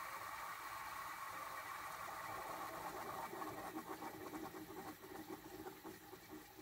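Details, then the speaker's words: Keystone window air conditioner with R-410A refrigerant, just switched off after running. A soft hissing rush with faint gurgles slowly fades as refrigerant settles after compressor shutdown, which is normal; an R22 unit would probably sound faster. "As a kid, I always thought that sound was really cool. If this was a R22 unit, the refrigerant would probably be rushing around a lot faster in there, and it would probably have a different sound to it."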